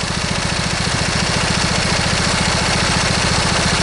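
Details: Briggs & Stratton V-twin lawn tractor engine, idled down, with a reported intermittent miss where one cylinder drops: steady, fairly even idle pulses about three and a half per second, slight unevenness, both cylinders firing.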